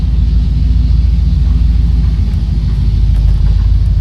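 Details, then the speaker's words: 1968/69 Oldsmobile Delta 88 with 350 Rocket V8, placed in drive and idling on a 66-degree day: deep, steady rumble with an even beat, no misses, knocks or ticks; a healthy, smooth-running engine. "Throw this boy in drive. You guys can see it's got a really nice sound to"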